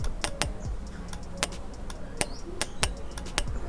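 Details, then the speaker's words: Motorcycle starter relay tested with direct power, positive and negative leads, during no-start diagnosis: crisp, sharp clicks with no buzzing or chatter, so the relay switches normally and needs no replacement. "Bila ada bunyi tu bermakna korang punya relay ni okey. Gas selesai bila dah check relay ni okey. Relay ni tak ada masalah."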